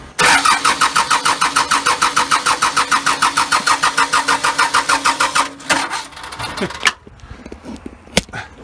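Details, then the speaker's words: First start of first-ever engine build with custom motor mounts, cold, in neutral: even starter cranking about three beats a second for five seconds without catching; no start, needs extra fuel. "go needs a little thing called extra fuel there we are"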